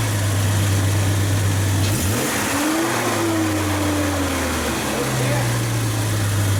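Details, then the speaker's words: 1999 Jeep Cherokee first start after an engine swap: smooth idle, then a quick clean climb to about 5,000 rpm and back, no ticks or rattles; healthy engine. "Dude, she spikes quick. That was 5,000. Holy shit. Yeah. Wow. No tick, no rattle, no fucking clang."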